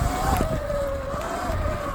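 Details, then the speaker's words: Sur Ron X e-bike with 26-inch front wheel, riding with pads replaced the day before with Shimano Saint pads: steady, slightly wavering high squeal from the disc brakes over wind and low rumble; brake squeal. "So you can hear my brakes squeaking. I did replace them"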